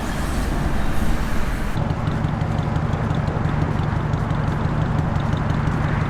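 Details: 1954 Ford Crestline Victoria, 239ci V8, manual with overdrive: the engine fires and settles into a steady, even low burble with no knocks or misses; a healthy, smooth idle.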